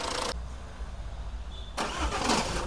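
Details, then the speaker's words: Jeep Compass 4x4 with Multijet engine: cranking, a short hush, then a heavy clunk right at the end as the engine fires and catches, coming mainly from the flywheel (dual-mass), to be fixed by modifying it. Flywheel clunk on start. "ये ये देखो जी ये sound आता है ठीक है sound आता है यह आता है मेनली फ्लाई व्हील से"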